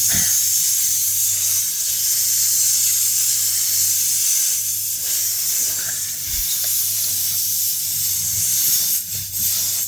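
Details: Flat tire, car on a jack stand after airing up with compressor: steady high-pitched hiss of air escaping through the puncture hole after a long screw was pulled out, before plugging; tire air leak.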